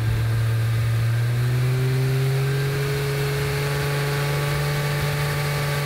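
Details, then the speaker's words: Aston Martin DB7 V12 at part load during a warm-up temperature check after cooling-system work: steady drone with an uneven, stumbling pulse; the engine is misfiring at this speed. "it seems pretty obvious to me that the engine is misfiring at this speed ..."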